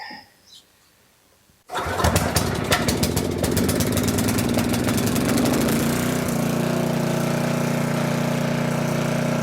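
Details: Coleman Powermate 6250 generator with Tecumseh 10 hp engine, curb find, after fuel system and tank cleaning; starts at once on choke into a steady, busy single-cylinder drone, evening out at half choke; no clear fault noise.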